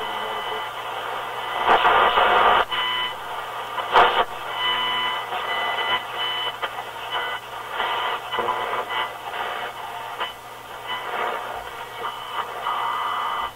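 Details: Rogers 8R931 vacuum tube radio during voltage checks, running on its own antenna before the outdoor antenna was clipped on: thin, hissy station audio buried under steady static with no clear low end; weak, noisy reception.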